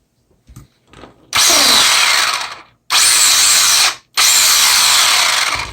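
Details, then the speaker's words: Traxxas Bandit VXL RC buggy, bought in rough shape, driven full throttle forward and reverse with one shock missing. Three harsh, gritty bursts of motor buzz with clicking; gearbox suspected, though the missing shock may play a part. "that sounds like garbage. That's not good. It works, but we're going to go ahead and go straight into the gearbox, because that does not sound good at all. Should not be clicking like that."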